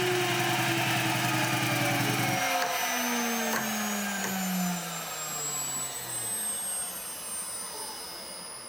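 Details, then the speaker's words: Shariff DMC2 CNC pushed to its limit with a 6mm tool: high spindle whine drops steadily in pitch as the tool struggles on the ramp down, spindle bogging under overload before an e-stop winds it down. "Next is a 6mm test, and I included this test anyways because you can hear the tool struggling, not on the cut, but actually on the ramp down. Eventually I e-stop this when I hear the spindle bogging down."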